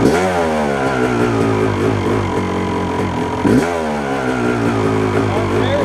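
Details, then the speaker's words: 1997 Yamaha YZ250 two-stroke, warm, clutch in, about eighth throttle: pulls up unevenly, stumbling and popping instead of climbing cleanly; sputter cause unknown, owner suspects crank seal or throttle adjustment. "I just figured out when I was going to ride it around. See how how soon it took for that sputter to come."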